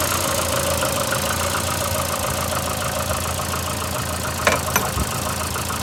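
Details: VAZ 2115 8-valve at idle: light uneven ticking about three per second over steady hum with faint scraping rub. Appeared after cylinder-1 head gasket failure and antifreeze and Lukoil 5W40 oil change; valves adjusted 3 months ago. Cause unclear.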